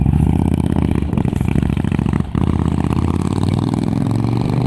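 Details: 2005 Honda VTX with Cobra slip-ons, Cobra PowerFlow intake and rejetted carb (DJ200 main jet, needle slot 4), on final test after tuning: deep, lumpy V-twin idle with strong even exhaust thumps and a brief blip, no misses or clatter; normal idle.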